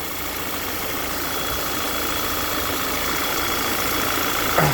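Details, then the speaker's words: Audi Q3 2.0 TFSI CCZC running lean at idle with codes P2279 and P2187; engine cover off and mic near the PCV unit. A loud hiss sits over a smooth idle, with the oil cap stuck on from suction; failed PCV diaphragm causing a vacuum leak. "this is the pcv um unit on these um volkswagen models and basically that's sucking so hard beds are that you can't pull the cap off"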